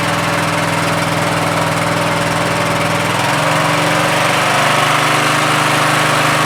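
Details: Troy-Bilt 17.5 HP 42-inch 8-speed lawn tractor, running after gas was added to test fuel supply: small single settles into a steady, even putter, pitch easing slightly after three seconds; normal running.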